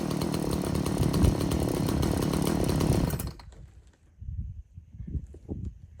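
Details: Stihl MS170 chainsaw that doesn't run well, fuel checked clean with no water and bar oil full: buzzes unevenly for about three seconds, revs hunting and ragged, then dies, like a dirty neglected saw. Rough running, cause not confirmed.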